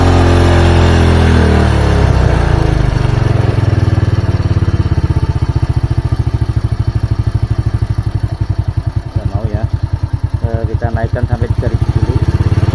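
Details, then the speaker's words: Old Honda Supra single-cylinder, rich-running with black plug, hard morning starts, black smoke at mid-high rpm; after main jet with one strand, pilot jet cleared: revs fall then settle into uneven idle while idle/mixture screw is set. "putarannya harus turun normal turun jangan sampai mati kita balik putar ke kiri juga nyari putaran tertinggi ya"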